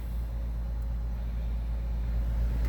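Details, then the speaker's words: 2008 Acura RDX after fixing a large cracked intake air leak at the mass airflow sensor that caused rough idle: low, steady rumble with no surging or shaking. Idle smooth; RPM no longer hunting up and down. "what a change start right up and it's not and it's not doing it you see it was shaking pretty bad the rpms up and down up and down"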